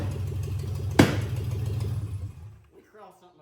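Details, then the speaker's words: Ranger six-cylinder with new spark plugs, plug wires and MAF sensor; lumpy uneven rumble, one sharp pop, then stumbles and dies; misfire and backfire. "So, I wonder if they were misfiring or wasn't firing at all and we just had the wires right the first time."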